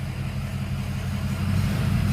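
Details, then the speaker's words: 2005 blue truck, previously misfired from two dead injectors replaced with rebuilt ones: deep steady even note swelling slightly with revs, no hesitation, stumble or miss; normal running, much better than the flatbed. "this one runs so much better than the flatbed i've always wanted to do a comparison but since that thing's worse i can do a good one no hesitation in this one at all"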